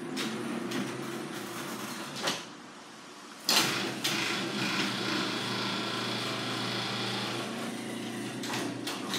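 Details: Garage door after oiling and lubricating to cure squeaking: steady smooth rumble of travel with only a couple of soft thumps at start and stop, rollers and springs running quietly.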